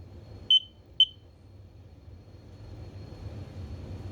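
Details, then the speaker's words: Smoke detector a few years old, green light flashing quickly: two short shrill chirps every 30 seconds, which the instructions list as a malfunction requiring replacement, not a low battery; attempted fix failed. "and as you see, it's kind of start flashing and beeps every 30 seconds. So I wrote the instruction in the back, and it says if it beep every 30 seconds, that means it's not it's malfunctioning, so it's not working, and need to be replaced, of course."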